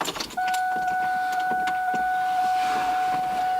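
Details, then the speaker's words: Ford Mustang convertible top hydraulic pump cycling the top down after installing new rams; steady mid-pitched whine with light ticking as air bubbles are pushed through the hydraulic lines. "can you hear that all the bubbles being pushed in there"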